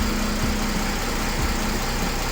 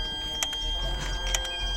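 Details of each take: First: Mercedes CLS 3.0 diesel (320 CDI) with power loss, after replacing the turbo actuator, restarted: even diesel clatter at idle, settled and steady with no hunting or surging; normal idle. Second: Mercedes CLS 320 CDI 3.0 diesel with big power loss, electronic turbo actuator commanded via engine computer test: faint steady whistle from powered ECU with short buzzing bursts as actuator tries to move, vibrates and sticks.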